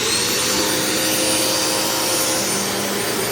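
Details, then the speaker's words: Rebuilt vacuum cleaner left outside about a month and rained on, run after drying out: steady high-pitched motor roar with even airflow hiss, no grinding or bearing whine; runs fine, brush roll may rattle slightly. "I was kind of worried the bearings were going to like lock up on it and it was going to start sounding like crap but it actually sounds just fine"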